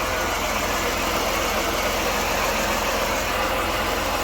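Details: 1993 Dodge Grand Caravan LE at idle after replacing idler and tensioner, belt reinstalled: steady gritty whir over even idle, unchanged; noise persisted, AC compressor questioned, water pump began weeping and was replaced.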